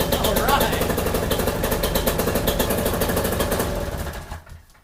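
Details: Paramotor two-stroke with just over 60 hours, run after maintenance (new cylinder-to-exhaust gasket, exhaust bolts and brass donuts): a quick, even crackle with steady firing and no misses, then it dies away smoothly; it sounds healthy.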